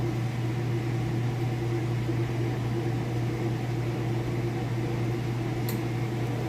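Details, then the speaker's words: Kenmore top-load washer on its inspection demo at full spin: a steady, even whir with a low hum and no knocking, scraping or wobble. The lid switch stops it and the brake stops it quickly. Normal spin cycle. "We'll open the lid, show you it's spinning nice and fast. It's nice and smooth."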